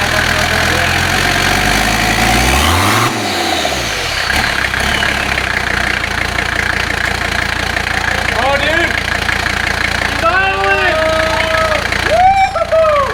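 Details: Diesel engine freshly swapped into the car, first start after adding oil, paint cap ready to block intake if it runs away: even clatter at steady idle, no misses or heavy knocks, some chirps later; oil leaking but oil pressure showing; running smoothly.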